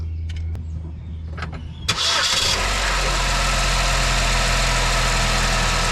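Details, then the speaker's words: 2009 Chevy Malibu after belt tensioner replacement: crank and catch, then smooth, even idle with a steady low hum and no squeak or rattle from the front right of the engine, previously caused by a weak, shaking tensioner. "All right, here we go. Let's start it up, see how quiet it is."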